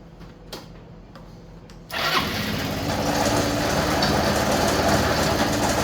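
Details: Yamaha Vino 125 scooter, just after starter clutch replacement (starter previously wouldn't engage once warm): brief clicks, then it catches at once and settles into a steady, even idle with no grinding or slipping; starts and runs healthily.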